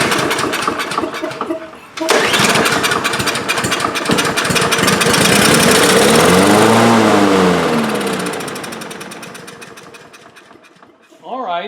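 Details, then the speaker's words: Two-year-old DeWalt mower with Briggs & Stratton engine, choke forced open and starting fluid sprayed into the carburetor throat; fires, revs briefly, then winds down and stalls, no fuel getting through the blocked carburetor main jet. "it did start on the fuel of starting fluid, but it did not stay running. So, this brings us to uh issue number two for us to resolve. you're just not getting fuel through the the uh main jet in the carburetor."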